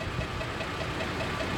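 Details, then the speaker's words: Toyota truck that lost power with the engine light on: light rapid ticking at idle that follows engine speed; owner feared a lifter, a dealership suspected a vacuum leak; cause not confirmed. "So, this dealership here thought it's probably a vacuum leak."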